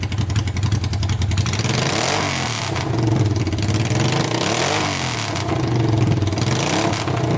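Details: Honda 500cc engine swapped into a tractor, run to warm up after the fan wiring was repaired: loud, steady idle with an even, unbroken beat and no knocks or misses; running healthy, no leaks so far.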